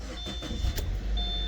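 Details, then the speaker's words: Subaru Crosstrek at an oil change: the engine catches quickly and settles into a smooth, even low idle with no knocks or misses; a normal start and idle. "This thing runs so good. It started right"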